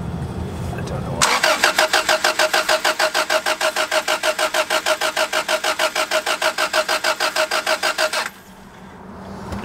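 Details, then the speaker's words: Honda Civic that suddenly would not start. Starter spins the engine evenly at about three compressions a second for seven seconds without ever catching; cranks but no start. "I try one more time yeah absolutely zero"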